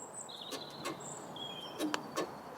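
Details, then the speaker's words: Rhino winch on a Land Rover Freelander 2, fitted a year and a half, operated by remote through an isolator switch: sharp dry clicks in pairs with no motor hum. The control-box relay switches but the motor doesn't run; owner doubts it is burnt out or seized. "it's clicking in and out so it sounds like the relay in this control box is working but the motor is is not running for for whatever reason"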